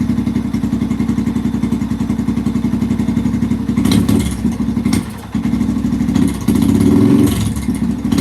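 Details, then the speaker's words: 2005-2009 Yamaha TT-R230 single, falls flat without choke: idles fairly evenly and blips cleanly on choke; owner suspects the carburetor isn't getting enough fuel, spark plug burn looks good; cause unconfirmed. "it's like it's just not getting enough gas H interesting hm runs great with the choke"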